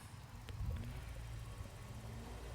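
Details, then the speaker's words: Audi A4 3.0 TDI Quattro during scanner output test, engine off: steady low whooshing rumble with faint hum as the high-speed electric radiator fan runs normally. "there's a fan working going next that's a high speed fan"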